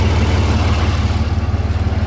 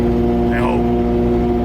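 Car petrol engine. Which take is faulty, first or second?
second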